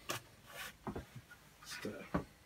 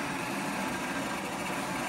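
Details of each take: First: R2D2 droid dome motor with the dome refitted after shaving the edges: uneven knocks and scuffs at no steady rate as the dome catches on the outer rim and jumps; the mount is held by only one fixing. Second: R2D2 droid dome drive running with the dome removed, only the top bolt tightened: an even, constant small-motor whir with no catching, knocking or speed dips; it turns freely and works.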